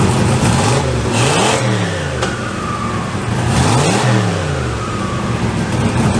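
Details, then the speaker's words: Turbo LS engine start with the downpipe refitted, tightened but not double-gasketed, after flanges warped from welding unclamped: revs rise and fall with a puffy, raspy edge; exhaust leaks felt at several joints, mostly at the rear. "I felt that over here I can feel some over there and feel a little bit over here cut field for this one most of the leek is back here"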